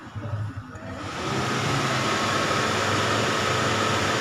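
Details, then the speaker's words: Radiator fan commanded to high via scan tool actuation test with engine idling: whoosh builds over about a second to steady even airflow roar over the idle; fan still works properly on high, normal. "Nah, ternyata untuk radiator fan pada posisi high masih dalam keadaan baik, karena dilakukan aktivasi tes radiator fan itu masih bekerja."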